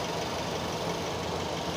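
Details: Used car engine at idle with the air conditioning on: steady, even running with no groaning or rumbling from the AC compressor; compressor sounds normal.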